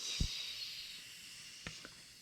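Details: Gauntlet 2 pellet gun (air rifle) leaking air randomly after being filled: faint thin high hiss fading over a couple of seconds with a few soft clicks; air escaping, source unknown.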